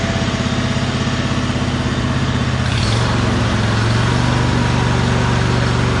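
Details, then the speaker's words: John Deere G100 garden tractor with 54-inch deck, after rocker arm and push rod repair: small engine holds a steady, even idle with a regular low putter and no misses or knocks; it previously ran poorly and now idles normally. "so idle's good now runs pretty smooth and i have about 700 total into this mower"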